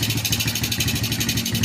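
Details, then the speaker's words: Suzuki Smash single-cylinder after worn, hardened internal clutch/starter parts were replaced: quick, even pulses settle into a steady idle with no slipping whir or loose internal rattle; the starter now engages cleanly. "itu teman-teman sudah tidak Los dan suara yang longgar itu sudah hilang teman-teman"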